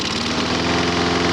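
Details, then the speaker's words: Lawn mower small gas engine, brought in not running with very weak spark, holding a steady even idle with no surge while WD-40 is sprayed at the intake gasket; no air leak. Normal idle. "Nope, never changed the motor. If that was leaking, it'd rev up or do something different."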